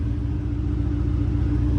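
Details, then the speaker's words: Racecar after a nut-and-bolt check and exhaust leak fix, started on level ground: deep steady rumble, even pulse, no rattle or ticking; quietest it has ever been, normal idle. "Oh dude, this is the quietest it's ever been in here. Let's go! I'm so happy it's not rattling."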